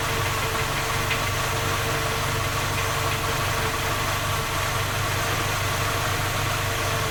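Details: Skoda Octavia A5 facelift 1.6 MPI at cold-start idle: fast, even metallic knocking over a steady drone; three engine repairs found no fault, knock continues, cause unidentified.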